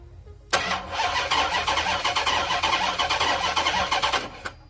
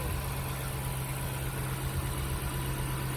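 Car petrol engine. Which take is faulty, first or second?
first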